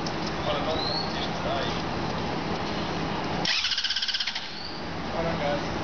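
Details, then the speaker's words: Engine cranking with no fuel pump fitted, third attempt: the starter chugs evenly for about a second and the engine never catches; bystander suggests it may need repriming. Crank, no start. "Yeah, it's not catching. Maybe you need to, like, reprime it?"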